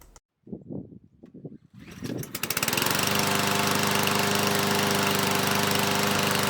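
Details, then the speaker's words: New PowerSmart DV8621S 170cc 21-inch self-propelled gas mower, primer bulb pressed three times: a few quiet pulls, then it starts on the first real pull and settles into a steady, even buzz; engine sounds healthy. "it started on the first pull. That's always a good sign, and the engine sounds good."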